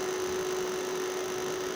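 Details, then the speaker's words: Homemade solar UPS transformer with two batteries, running on battery with no mains: constant mid-pitched buzz with a harsh hiss from the running coil; loose transformer core laminations vibrating. "ये आवाज़ आ रही है कॉइल की रनिंग करने की।"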